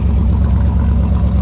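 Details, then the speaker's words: 1957 Ford Ranchero with a 292 V8 and automatic transmission, heard from the rear at the tailpipe: deep, even low rumble with no misses, ticks or puffing, sounds good. Normal idle. "There we go. Sounds good."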